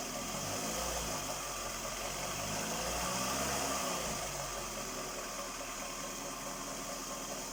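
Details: Skoda Rapid 1.6 CFNA 105 hp petrol engine at idle: light regular tapping about three to four times a second; owner asks what is knocking, cause not yet pinned down.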